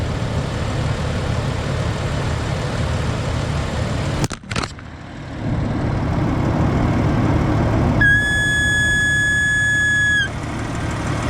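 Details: Jeep at idle, brake pedal pressed: high thin whistle for about two seconds over steady idle from power brake booster; owner suspects check valve, air leaking at its old grommet.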